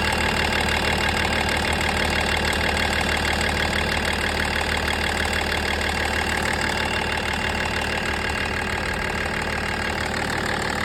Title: M57 Vibration and Ticking Noise